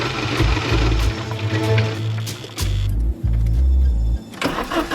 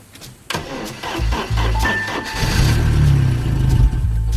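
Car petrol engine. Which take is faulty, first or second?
second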